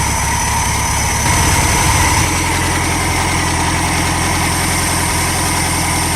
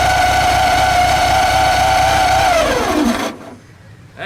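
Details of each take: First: Air-cooled VW Super Beetle flat-four after replacing alternator, starter and distributor: steady even idle, pace shifts slightly around two seconds, then runs smoothly and consistently. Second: VW Super Beetle after fitting a new alternator, starter and distributor: even air-cooled engine ticking with a thin steady scraping whine that fades at shutdown; cooling fan rubbing its shroud because belt tension pulled the alternator against the plate.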